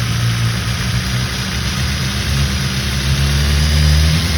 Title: BMW S1000XR 2019 Gen 1 Cam chain rattling sound